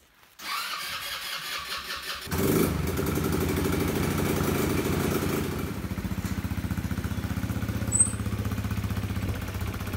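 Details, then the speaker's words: Elstar 150cc single-gear 2WD quad bike, long stored: the engine catches after a short crank and settles into a steady, even, low putter with no misses, running normally. "it's running all right so all right so after all that effort i managed to get the quad bike going"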